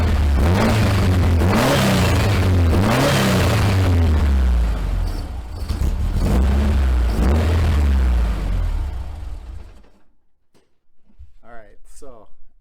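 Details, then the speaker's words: 1956 VW Beetle that runs well at 3/4 to full throttle but misses at partial throttle and won't idle after sitting: revs blip and fall back, then sag almost to stalling. Owner suspects a worn distributor. "heard fires right up revs up nice pretty much completely shuts down the car does have"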